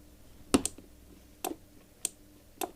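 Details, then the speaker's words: Scooter's original starter relay, recorded with the mic brought close just after reconnecting the battery: sharp, dry double clacks about a second apart as the ignition is switched on. This is the relay pulling in normally. "ça fait claque claque ce que tu entends faire claque claac ici c'est le relais qui est juste là regarde voilà là on l'entend bien donc en fait ce relais là c'est le relais qui était présent d'origine sur le scooter c'est le relais de démarreur"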